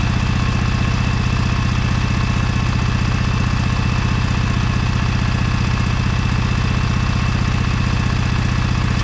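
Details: Briggs & Stratton Vanguard 23HP V-twin on a Little Wonder hedge trimmer, after primer bulb replacement and carburetor cleaning, choked, low throttle: steady, even thump at about four beats per second, no misses or knocks. Idles cleanly.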